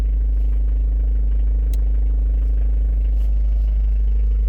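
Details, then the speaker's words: Mitsubishi Pajero turbodiesel after a valve cover seal, oil change and new alternator, warming toward temperature: steady low idle with an even beat about twice a second, turbo now clearly audible; owner suspects an earlier boost leak. "sounds pretty good so far I think I might have had a boost leak too cuz you can really hear the turbo now"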